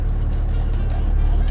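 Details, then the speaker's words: 12-valve Cummins diesel pickup idling too low, about 650 rpm, dropping to about 500 when shifted into drive. Slow, heavy, lumpy clatter; the owner finds it too low and plans to raise the idle. "given that it's such a low idle when it drops when you shift in a drive it's like too low it's too low for my liking"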